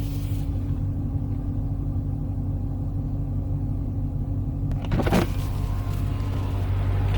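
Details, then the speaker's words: 2015 Dodge Challenger SRT 392 after replacing the 3.09 rear differential, in break-in: slow sharp turn in the same cul-de-sac as the earlier growl, A/C off; low steady rumble, only tyre noise; differential quiet. "swing this around in this nice little culde saac here nice and sharp I'm going to even turn off the air nothing nothing but tires"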